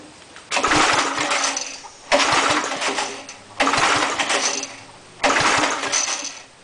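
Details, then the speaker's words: Air compressor engine after head cleanup, valve seat work and fresh oil, on choke: four short bursts of firing, each catching for about 1.5 seconds before dying; it starts but won't keep running, and a governor or carburetor problem is suspected. "good huh still something's not right St all right let's try this put of gas down here see what happens oh it popped oh it's trying give a little bit more gas here here open up just a little [Applause] bit oo there could be a problem with the governor"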